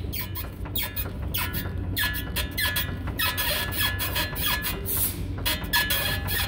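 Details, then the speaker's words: 2007 Ford Explorer front end rocked: rhythmic creaky squeaks, about two a second, from a dry, worn lower ball joint, often misdiagnosed as a bushing; grease may silence it but usually needs pressing out and replacing. "yeah it's a lower ball going here if you took and squirted some grease in that little boot you'd have to poke a hole in it and then silicone it'll go away"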